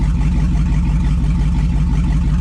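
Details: 2002 2500HD parts truck, on old gas; over 40 psi oil pressure, alternator charging; deep steady V8 burble at idle, even firing, no knocks, misses or ticks; healthy.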